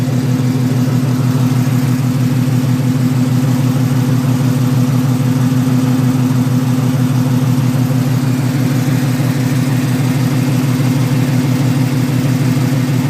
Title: Exhaust leak